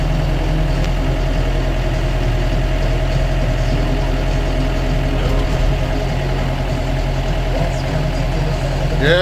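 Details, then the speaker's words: John Deere 6005R tractor started after hydraulic oil change to check hydraulics: steady low diesel idle with even beat, no knocks or rattles, nice and smooth; normal running. "that's all working. Lovely. Nice and smooth. Lovely."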